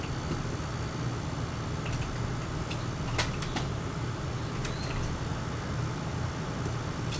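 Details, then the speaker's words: High-pitched coil whine from an RTX 4090 graphics card (ASUS TUF vs Gigabyte Gaming OC) under game load, recorded beside the PC case with gain increased; thin steady whine above low background fan hum. "you will hear some background fan noise but it is the high-pitched Kyle wine that is worth listening out for"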